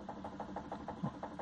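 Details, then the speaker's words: Hyundai HB20 suspension: quick, even clunks about six per second as the link is rocked by hand. Slight play in the worn passenger-side stabilizer link, whose noise can be mistaken for the steering rack. "isso é e eu te falo que é uma folguinha bem mesma mas faz todo barulho ali na direção da caixa de direção né"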